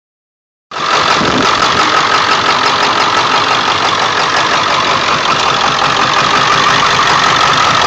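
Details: 1999 Ford F350 7.3L diesel, cold start after sitting for days, plugged in overnight, no check-engine light: clattery idle with an uneven beat about three per second and slight stumble; shakes badly, but no shaking after restart; cause unknown.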